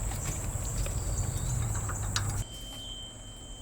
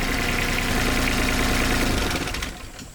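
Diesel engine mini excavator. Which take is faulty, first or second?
first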